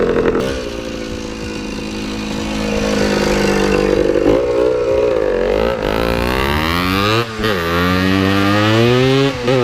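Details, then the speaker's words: 1979 Yamaha IT175 two-stroke dirt bike ridden after carb rejetted to factory jetting: buzzy, raspy chainsaw-like note climbing and dropping cleanly with throttle, pulling strong; slight mid-range lag around quarter to half throttle. "that's right it's like riding a chainsaw sounds like a chainsaw"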